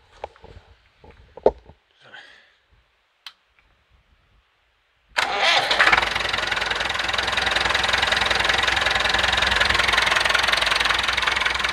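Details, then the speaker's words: Massey Ferguson 165 diesel tractor after fuel pump failure and bleeding injection lines, cold start next day on a rainy, windy autumn day, exhaust cover fallen off overnight; catches at once, settles into steady even clatter about 214 beats a minute: normal idle. "so i'm gonna start it up let it warm up a little"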